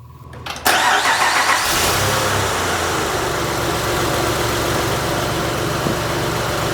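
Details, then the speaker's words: Honda Pilot 3.5L V6 after complete rebuild for heavy oil burning (new pistons, rings, bearings, seals), fluids refilled: brief crank, catches at once and settles into even, steady idle with no knocks or ticks; normal start and idle. "Now, that's a beautiful sound. That's a good sounding engine."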